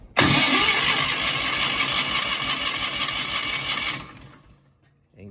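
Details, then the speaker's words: Miller Bobcat 225G welder/generator engine, idle for several years, after starter solenoid replacement with fuel poured into the carburetor: starter churns about three beats a second for four seconds, not even a sputter; no spark at the plug, ignition pickup issue behind flywheel. "got nothing. Not even a sputter."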